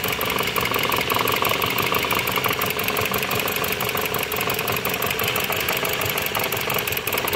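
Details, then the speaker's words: Dodge Journey 2.4 with replaced engine, computer and harness, losing much oil, coil secondaries being checked: busy idle, sharp rapid ticking and dull knock, misfiring; mechanic suspects rod or main bearing knock, unconfirmed. "y aparte se escuchaba el motor que golpetea muy feo como en una biela o en la bancada"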